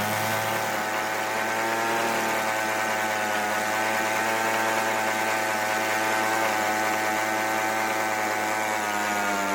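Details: Free weedeater blower that previously wouldn't start, now running after repair: the small two-stroke buzzes at a steady high pitch with no misses or surging.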